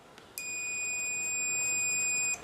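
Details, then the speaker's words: Multimeter on continuity testing a capacitor from a Sony SL-2000 Betamax during audio hum repair: clean steady high beep for about two seconds then cuts off as the meter reads the cap charging and discharging; continuity beep on capacitor. "so when you put it on to the test lead on the leads you should hear a faint you should hear this and the meter moves up and then down as you see that's it charging and discharging"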